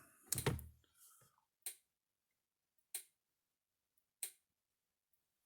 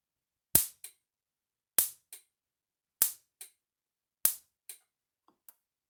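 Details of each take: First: Gallagher M600 electric fence charger built 2007, about 13 years old, just plugged in, gives soft, thin clicks about every 1.3 seconds lacking snap; owner suspects a bad capacitor: weak pulse clicking. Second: Gallagher M600 electric fence charger under repair, tested without a load and before the correct capacitor is fitted, reading about 8,000 volts: sharp, crisp snaps about every 1.2 seconds, each with a fainter echo click; healthy spark.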